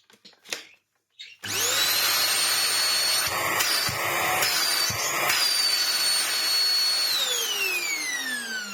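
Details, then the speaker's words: Vax Air Stretch bagless upright corded vacuum, found with no pre-motor filter, running after cleaning out dust. Strong, even, high-pitched motor whine holds steady then winds down smoothly; normal running. "Decent, decent. I bet we've got tons more airflow now."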